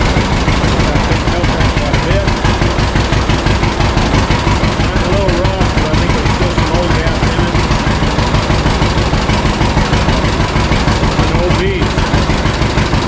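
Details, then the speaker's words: 1952 John Deere G two-cylinder tractor, first start in several years after draining fuel from wrong tank and fixing leaks: slow, steady putt about three beats a second, even and unbroken; idling down nicely, normal idle. "so scratcher always did idle down really good outside there"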